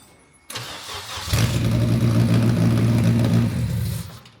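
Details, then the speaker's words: Toyota MR2 with swapped K24 engine on Haltech Elite 1500 ECU, first start: starter whirr, then it catches and settles into a steady, even idle. Earlier no-start was cured by correcting the ECU top-dead-center angle setting. "first start baby let's go it was a it was a timing I think you said the 31 and fire right up"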